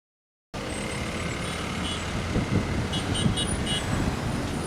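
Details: Tata or Leyland truck pusher axle giving short, sharp air hisses over road rumble each time it hits bumps while driving; cause unclear.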